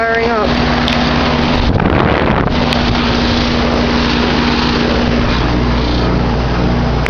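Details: Goodman packaged heat pump, camera set on top of unit, thermostat lowered from 81 to 79 to start in cooling mode: steady low hum with faint mid tone under even fan rush, no knocking or rattling; normal startup.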